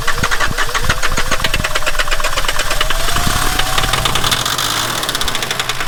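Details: Abandoned Volvo 740 D24t turbo diesel fed fresh diesel from a separate supply: catches and runs rough, loud uneven knocks over a ragged idle; injector lines found cracked, owner unsure what's going on, then tightens them.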